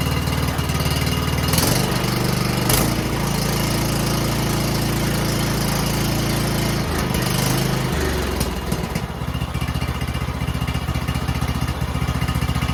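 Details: Cub Cadet XT1 LT 42 riding mower, about 65 degrees, after spring oil change: catches quickly, revs, then settles into a steady, even chug at idle with no misses or knocks; normal start and idle.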